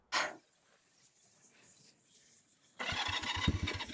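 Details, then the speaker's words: Honda CB175 twin, cold start after sitting since before Halloween, choke on, sticky throttle: one sharp pop on first crank, pause, then rough uneven cold run; backfire on starting, as it did previously after sitting. "Ooh, popped. Ooh, sticky throttle."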